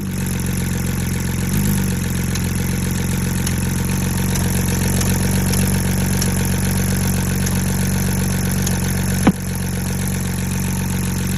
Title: ￼ Misfire